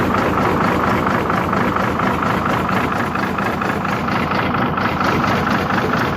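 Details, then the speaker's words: Hino J08C diesel engine: heavy idle with a rough, regular knock about twice a second; oil coming out the exhaust/silencer side from cylinder five; broken piston and cracked cylinder. "तो जैसे कि मैंने आपको इसकी आवाज check करवाई है तो कुछ अंदाजा आवाज से भी हो जाता है"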